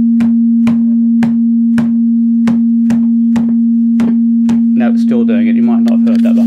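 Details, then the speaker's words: Line 6 DT25 guitar amp with intermittent sound dropouts, effects jack bridged to rule it out: steady hum with sharp knocks about twice a second as the top is banged, each bringing crackle and dropout; points to a bad valve. "now if it still makes that noise when I bang it it's not the effects Jack there you go I heard it then"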